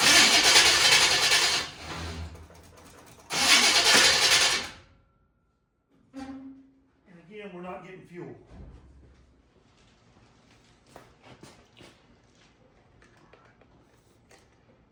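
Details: 1951 Henry J car being cranked to get it running: two cranking bursts of about a second and a half each, the engine spinning freely but never firing; fuel not reaching the carburetor is suspected.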